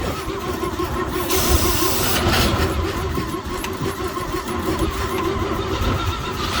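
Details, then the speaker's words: 1949 Chevy truck, cold start after sitting about 20 years: runs roughly, then sags and stumbles under added throttle. The mechanical fuel pump isn't pulling fuel; a dried-up diaphragm is suspected, not confirmed. "Give her a shot. It's cutting out though when I'm giving it."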